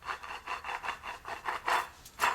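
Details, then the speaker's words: The old water pump from a 2007-2013 Toyota Highlander 3.5L V6 is removed and spun by hand. It gives a dry, gritty rasp pulsing about three times a second, and the shaft has a lot of side-to-side play. The bearing is shot and the pump needs replacing. "shot and then there's a lot of side-to-side plate as bearings are gone so no good"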